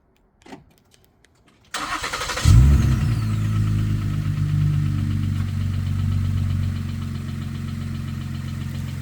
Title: 2013 Ford Flex Ecoboost engine knock noise